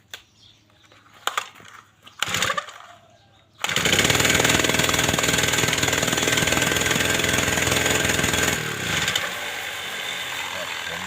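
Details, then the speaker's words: Honda trimmer engine that won't rev up: roars briefly, then sags to a rough low run, caused by a stuck carburettor fuel needle; fixed by stretching the spring to make it stiffer. "ครับมื้อนี้ก็มีเครื่องฮอนด้าเนาะครับเนาะอาการก็เร่งบ่ขึ้นเนาะครับ"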